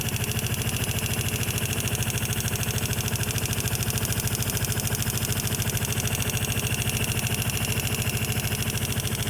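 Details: Vespa LX150 scooter idling with constant light, rapid ticking over the exhaust beat; valves suspected loose but found tight on adjustment, and the ticking sounds exactly the same afterward.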